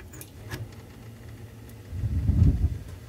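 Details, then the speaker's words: Older Crane 100 series gas boiler with Honeywell L8148G control, relay closed manually for power-outage operation: quiet hum, then a soft low roar swells in about two seconds as burners light and settle to a steady rumble; normal. "on then we can you hear those burners running take this off and we'll hear them turn off or essentially back to the pilot light low burner operation"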